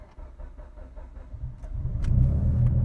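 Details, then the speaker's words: 2011 Mitsubishi Evo X GSR flex fuel, cold start on tuned ECU with altered cranking enrichment: starter churns about four beats a second for over a second before catching and rumbling up; takes a few more cranks, slightly lean cold-start fuelling. "so it took a little bit more cranks to get it to fire but not bad"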